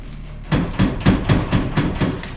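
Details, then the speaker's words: 2000 Ford F350 7.3 Powerstroke turbo diesel while driving after leaf spring install: hollow clunks in quick bursts, about six in two seconds on bumps; first feared broken springs, actually untightened front bumper bolts letting the bumper knock. "It sounded like that because it was exactly that. Yeah, the bolts on the front of the bumper were not tight."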